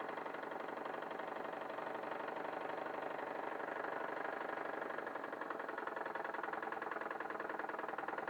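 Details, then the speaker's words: Wilesco D21 model steam engine on its second run, fired by a Bix burner on propane/butane mix and driving a 3D-printed Baker fan as load. Quick, even chuffing holds speed with no knocks or stumbles. Normal running under load. "There we go. Sounds good with the load on it."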